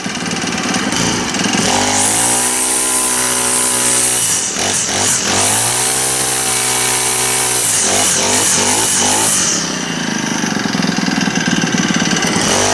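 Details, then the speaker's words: Honda GX25 four-stroke trimmer after full service, run outside on straight gas, warm; revs cleanly up and back down with an even buzzy note at idle and throttle, seems to run pretty good, normal running. "Seems to run pretty good."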